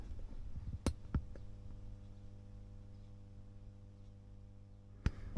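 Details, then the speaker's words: WEM Clubman single-ended valve guitar amp with one ECL82, on the bench for a re-cap: steady low mains hum; suspected tired old electrolytic filter capacitors given its age, not confirmed. "so the old electrolytics are a bit tired and not surprising given its age"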